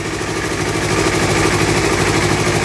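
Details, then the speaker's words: Used motorcycle checked before purchase, exhaust covered by hand: an even, steady idle beat with no knocks, ticks or misses; the engine sounds smooth and healthy. Normal idle. "ini maut mesinnya masih sangat halus jadi ini motor Kondisinya masih sangat eh bagus"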